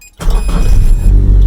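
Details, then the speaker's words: Nissan SR20DET-swapped Datsun mini truck, after a fuel problem was fixed and the fuel line replaced. After being quiet, the engine catches at once and settles into a deep, steady rumble, now starting cleanly. "oh my god it started"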